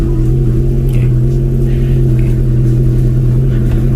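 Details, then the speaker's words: Car air compressor at the rear filling its air tank, running on the just-repaired dry battery with all electrical loads switched on, engine running: steady low even hum over engine rumble, no rattles or surging; filling normally. "Dan sekarang saya akan coba nyalakan kompresor di belakang buat ngisi tabung air sas. Oke, seperti itu. Di belakang sana itu kedengaran suara mendengung, itu lagi ngisi tabung."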